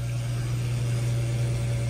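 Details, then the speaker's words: Radiant heating circulator pump, power turned off and back on: loud, steady low hum with a rough buzzing edge; circulator failing and must be replaced, though not confirmed as the cause of the no-heat zones. "so if I turn off power and turn it back on you hear that that's not a good sound this circulator has got to go"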